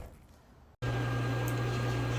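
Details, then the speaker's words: Old LG washer after reassembly with new bearing kit and spider part (previously loud screeching from shot bearings), running at extra high spin: click then steady low hum, no rumble or grinding; pretty quiet, normal spin. "here's the washer all assembled running at extra high spin pretty quiet for the most part"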